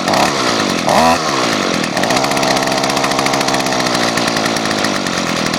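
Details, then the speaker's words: Gas string trimmer running cold in freezing weather, not warmed up: raspy, high buzzing two-stroke note with a slightly uneven edge; normal cold-start running. "Yeah, it's kind of cold out here, so makes it cold starting, and most of my equipment's not really cold-blooded."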